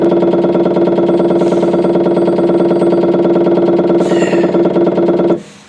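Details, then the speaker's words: Onan Marquis RV generator, 20+ years old with about 60 hours, carburetor dry; its fuel pump, bench-run on a 12 V battery, ticks and buzzes steadily but draws no fuel from the RV main tank. Cause unclear, and the line looks rusty but intact. "All the time you hear it run, but I'm not getting any fuel getting sucked up from the tank."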